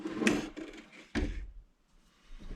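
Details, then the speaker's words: 2014 Nissan Rogue VVT oil solenoid, removed and bench-tested on power: few crisp, solid clicks about a second apart, each energisation snapping over cleanly; opens and closes freely, working normally. "all right so this one here seems to well that's kind of our control we'll know what they're supposed to sound like and all right so this is the other one that's good this one actually sounds a little different than that first one but it still opens and closes freely"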